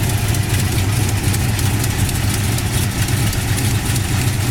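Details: 1969 Plymouth Road Runner with Hooker competition ceramic-coated headers: deep, steady V8 burble at idle, even rumble with no ticks, knocks or stumbles; engine runs good, sounds healthy.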